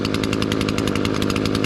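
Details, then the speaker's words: Echo SRM-225 two-stroke weed trimmer after removing the stopped-up spark arrester that caused bogging on trigger: high crisp buzz held at speed with no stumbling; normal running, root cause too much oil in the fuel mix. "you see we got this Echo back up and running man customer brought in was bogging down come to find out that was a stopped up spark arrester"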